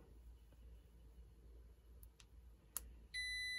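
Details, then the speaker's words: 1960s Electra TC-505 reel-to-reel tape recorder: a steady high beep from the meter shows continuity through the corroded switch after DeoxIT cleaning. Circuit closed. "yep got it now so deoxit saves the day"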